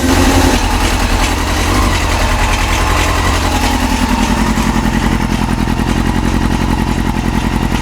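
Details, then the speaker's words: Yamaha YZF-R6 after new ignition coils, warming up at idle, partially choked: choppy idle near two hundred pulses a minute that randomly jumps in speed, rising and falling instead of settling; erratic idle surging. "So you hear this thing is like randomly having a jump in idle speed. And I've got it partially choked."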